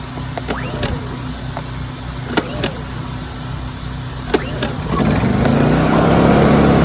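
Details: Honda EU2000i generator stored with old gas, after carb cleaner sprayed through carburetor: quiet clicks, then catches about five seconds in and settles into a steady even hum; running for now, still needs carb rebuild.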